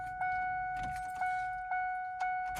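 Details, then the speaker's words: Ford Ranger (112-inch wheelbase) after an in-tank fuel pump replacement, relay reconnected, key cycled five or six times to prime fuel to the rail: steady mid-pitched hum with a faint tick every half second; normal priming. "what we need to do is put the key in the ignition about five or six times and what that'll do is it'll take the the fuel and it'll put it all the way to the fuel rail okay so just let it Prime"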